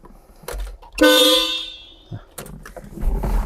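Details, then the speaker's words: Horn check during pre-drive inspection of a Porsche 914-6 converted to a 914-6 GT clone: one short, thin, modest half-second blast, a Volkswagen-like sound, not very potent for a street GT; horn works. "Sort of a Volkswagen-like sound on the horn. You'd think it'd be more potent on this street GT."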